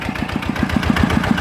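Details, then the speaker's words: Customer's Chao Phalang single-cylinder diesel after replacing several noisy timing gears (two idler gears and the cam gear were kept); smooth idle thump of about seven beats a second with no gear clatter or knock, much quieter than before. "อ่ะนะครับถือว่าเงียบนะครับจะ้ได้นะครับจากเดิมที่มานะครับลังกว่านี้เยอะนะครับ"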